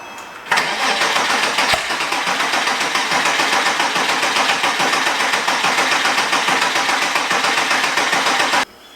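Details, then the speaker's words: Porsche 987 Cayman S, suspected blown engine with metal in oil filter, cranked with fuel pump relay pulled: starter churns eight seconds at about four beats a second, slightly uneven, hinting at binding; scored cylinders suspected, unconfirmed. "crank the car and listen if the starter has some interruption that instead of just being a smooth rotation and he said that that's a good indication that scored cylinders are the problem"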